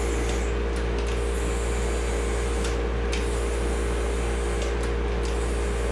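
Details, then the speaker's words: Ducati ST4 after in-tank fuel line replacement (bike died on freeway): key turned a couple of times to prime pump and purge fuel lines, steady low electric buzz; normal fuel pump priming before start. "turning the key a couple of times just to prime that pump get the fuel line's purged the repair"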